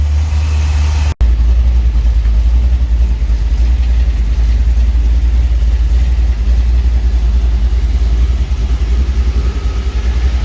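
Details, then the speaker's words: 1949 Chevy 3100 truck with newly installed V8 motor, first run in garage: deep steady rumble holding even throughout, no knocks or misses; running well, sounds good. "This bitch is running. She sounds good. Woo-wee."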